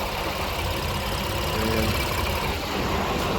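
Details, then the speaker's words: 2018 Honda Pilot, 104,000 miles, after timing belt, water pump, tensioner, idler pulley and spark plug replacement; steady even idle hum, smooth low drone, no knocks, ticks or leaks; normal healthy idle. "there we go sounds like a regular Honda nothing leaking out the bottom of it after a 10 mile test drive good to go"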